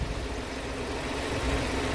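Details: Car with a new battery reading 12.9 V off, just started while the alternator charges at about 14.2 V, within normal: steady, even idle hum with no knocks or misses; engine runs normally.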